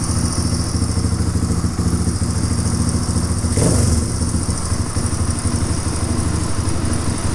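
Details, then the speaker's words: 1997 Suzuki DR350 single-cylinder dirt bike after installing a new flywheel key, tested for backfiring and erratic idle; it still idles unsteadily with a loose, uneven beat and a brief surge. Owner suspects an electrical problem. "the idle's not steady okay there see something changed just [Music] now"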